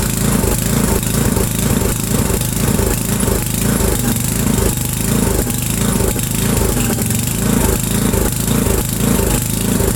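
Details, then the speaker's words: 8 hp Briggs & Stratton single-cylinder after sitting about 5 years, new fuel line and filter: thumps hard at full throttle with an uneven, surging beat; only keeps running wide open without choke, so the carburetor is dirty. "Okay, so it's only running with the throttle wide open. Choke doesn't have to be on. The carburetor just needs to be cleaned."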